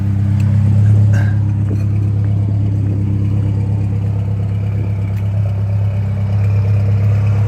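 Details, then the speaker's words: Saab Aero engine after head gasket replacement, piston 3 previously blown, still mixing oil and coolant: first start catches and idles rough with a low, lumpy, uneven misfire pulse about three times a second, then heavy smoke follows. "look at that it started up okay sounds rough"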